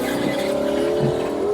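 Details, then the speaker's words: 2003 Mini Cooper, left power window closing: a strained whining hum that wavers and sags in pitch as the glass crawls up in pulses. The window motor is labouring against resistance. "doesn't sound very good does it but it does work oh God please go up it's been raining like crazy here today we do not need this window staying down oh God please go up so it's just pulsing its way back up it's probably just working overtime against some resistance"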